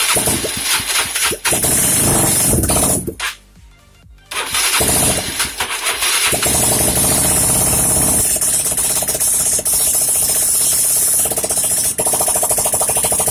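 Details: Yamaha Mio scooter that had stalled with lost compression, first start after repair: starter whirs briefly, goes quiet, then engine catches and runs steadily under loud music; normal start.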